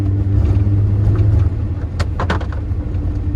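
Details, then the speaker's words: Test drive in rain after installing a new axle to cure a drivetrain noise: steady low road and engine rumble with no clicking, knocking or whine — normal driving, noise appears fixed. "it's not in my trunk. That's fine. I hear no sound. Oh, please let it be fixed."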